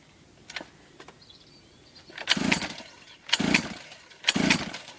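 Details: Three-month-old Orion mini dirt bike: three short cranking bursts about a second apart, the engine turns over but never catches; cranks but will not start, cause unknown.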